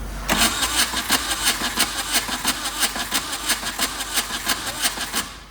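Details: VW diesel-swapped Suzuki Samurai cranking with injectors open, fuel pump working, glow plugs and ether used; even cranking beat, never fires; owner suspects injector pump needs rebuild.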